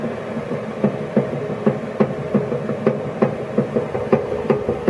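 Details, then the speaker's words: YardMax YW7565 chipper, under 4 hours use, greased and oiled, cutting wheel coasting to stop: heavy clunk about three times a second, slowing; once-per-revolution knock, owner suspects warped wheel or bearing issue, cause unknown. "i'm gonna unplug the spark plug and just do a manual spin and you can hear the same sound clunk so it's every sort of one full revolution it makes clunk"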